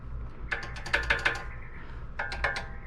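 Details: 2006 Subaru STI with a front clicking noise when braking and over bumps. With the wheel off, the front brake assembly is worked with a pry bar, giving sharp metallic clicks in two quick bursts. Owner thinks it is brake pad play in the caliper, harmless; not confirmed.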